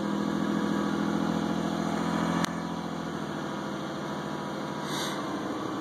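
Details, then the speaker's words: 2001 Isuzu Rodeo just started after cleaning EGR valve, EGR tube and throttle body: even, steady idle running a little high; owner suspects leftover throttle cleaner in the intake burning off. "engine's revving a little bit, I think, because there's probably some throttle cleaner left in the intake, but should be good to go."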